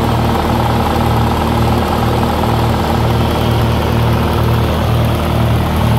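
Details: 1948 Lincoln SA-200 welder engine, long unfuelled, carburetor refitted and temporary fuel rigged, gives a steady, even low thrum with a smooth regular beat, no knocks or misses; got running with very little work, healthy.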